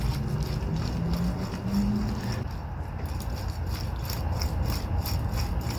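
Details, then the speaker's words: Saturn Vue intermediate shaft bearing (30 mm inner, 55 mm outer), removed and spun by hand: rough gritty grinding rumble with ratchety clicks; bearing is loose with visible play and slinging grease, worn out, so the shaft is being replaced. "So the bearings sound like grindy, you know, kind of like when bearings won't wear out. It's quite loose too."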